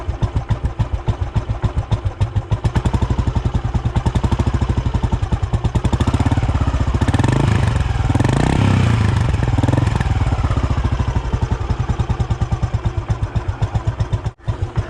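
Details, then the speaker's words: Royal Enfield Bullet Machismo 350 AVL after a full engine restoration (it arrived seized from water), fitted with a short-bottle Indori silencer. Deep, even single-cylinder 'duk duk' thump at about three beats a second swells cleanly on a throttle blip: normal idle. "इसकी आप sound सुनो ये इंदौरी वाला silencer है तो यह बड़बड़ तो करेगा नहीं डुक डुक करेगा"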